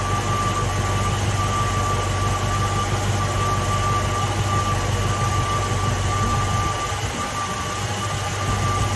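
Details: Ford Mustang (1966/67) 289 V8 automatic at idle during ignition timing and advance check: even, steady smooth rumble with no misses or stumbles; timing right on the mark; normal idle.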